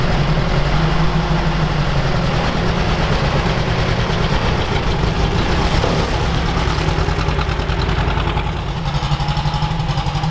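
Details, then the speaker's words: Old Soviet UAZ 469 four-cylinder, parked about a month, on choke and getting plenty of fuel, before ignition overhaul: lumpy, choppy, stumbling idle running on only two cylinders; owner suspects an ignition issue: misfire on two cylinders. "okay so it does fire up but it doesn't sound like we're running on all four foreign works that works and the other one is not doing anything nope man I won't stop doing anything okay so we're only running on two right now"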